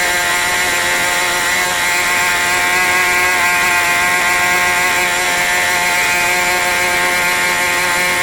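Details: New OS 40 FSR model engine, second tank of break-in: high constant buzzing scream held flat at full throttle, very fast and a bit lean-sounding, higher rpm than wanted; needles still need setting.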